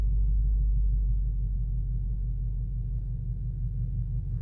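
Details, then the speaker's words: Chrysler 300C idling with a misfire that sets no codes, after parts were swapped to see whether the misfire moves to another cylinder: deep uneven idle with a lumpy, shaking beat and no steady rhythm. Engine still misfiring. "It's still gonna misfire. I just wanted to see now if the misfire moves over to the other cylinder."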